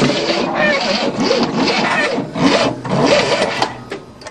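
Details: 1967 Cadillac not started in 30 years, cranking on a new starter motor with the timing retarded: an uneven crank and sputtering run with a high, wavering squeak. The source is unclear, and flooding with the choke closed is suspected.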